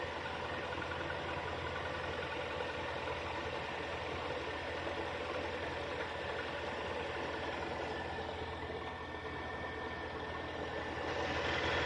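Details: Kia Sportage 3 engine idling with a light, fairly regular knock at about three to four per second over the hum; source not pinned down.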